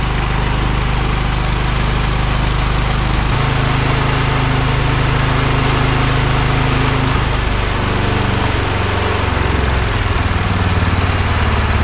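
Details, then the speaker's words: Wheel Horse 416 garden tractor, sitting unused for years, idling without any carburetor cleaning; a low, steady single-cylinder putter with no misses, surging or smoke, running cleanly and smoothly despite the presumed dirty carburetor. "smooth I cannot believe how well this thing idled with a dirty carburetor or what I presumed was a dirty carburetor obviously it's not too bad"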